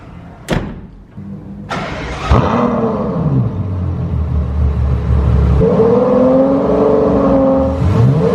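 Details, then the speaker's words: 2012 Ferrari FF 650HP V12 with exhaust valves wired open, front cats and H-pipe still fitted: catches, settles, then smooth clean blips rising and falling; healthy revving. "So with it wired open, it's just gonna be clean revs the whole time."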